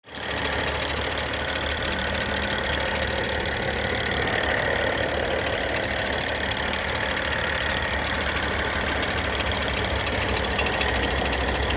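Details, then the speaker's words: BMW N55 engine, cold: steady running with a fast, uneven tapping on top, around three to four a second, seemingly from the cylinder head; cause unknown. "откуда-то стук идет в головку."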